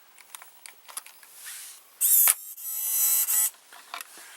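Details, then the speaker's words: JVC GR-AX33 VHS-C camcorder, opened with a part removed to expose the tape loading mechanism and loading motor: two short high motor whirs with light clicks between; loading works normally. "now we can see the mechanism I have removed the part that was there and voila now we consider the mechanism the whole loading mechanism in action"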